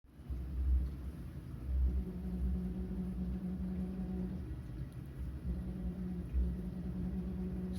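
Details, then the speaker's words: Dishwasher running with a steady low humming drone that swells and fades over a dull rumble. "как она гудит? Как зомбак какой-то."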